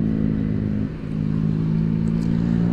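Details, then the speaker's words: Honda Beat scooter CVT after fitting Koyo car bearings to cure low-rpm knocking: pulls off from low revs with a smooth rising drone, the former clatter under low-speed acceleration gone; transmission sounds healthy. "Biasanya kalau digesek gini-gini timbul salah Klatak Nah sekarang aman guys"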